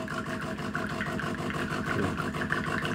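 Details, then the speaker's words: De'Longhi ECAM coffee machine after cleaning the previously stuck, cracking brew group: smooth, even gear-motor whirr as the unit travels down, no cracking or snapping; brew group now moves freely. "jetzt kommt sie schon selber raus und so sollte es dann auch sein"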